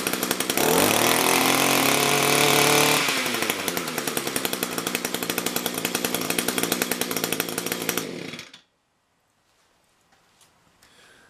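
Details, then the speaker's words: Echo SRM-210 two-stroke trimmer with a new replacement carb, run in winter: screams at full throttle, drops to a lumpy lower speed, then cuts out. Revs up fine, a tad boggy: normal running. "So that one was a new carb. It sounded pretty good. Seemed like it revved up fine. It was a tad on the boggy side, but not too bad."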